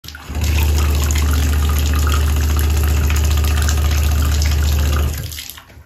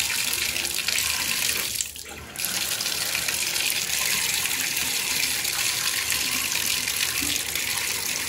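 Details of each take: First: Aquasource/Glacier Bay tub/shower valve: water runs with a loud, deep droning water hammer shaking the pipes and building, caused by a failed pressure-balancing cartridge; replacing the cartridge fixed it. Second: Shower with an Aquasource/Glacier Bay valve after replacing its failed pressure-balancing cartridge: steady hiss of water dipping briefly as the valve is worked, with no banging. The water hammer is fixed.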